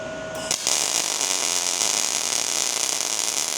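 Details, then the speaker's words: ARCPEX MIG200 welder: a short tone, then a steady, even, bright sizzle of the MIG arc with voltage correctly matched to wire speed; the sweet-spot sound, not frying-bacon crackle or slow popping. "Dial it until you hear the steady bar. That's the zone."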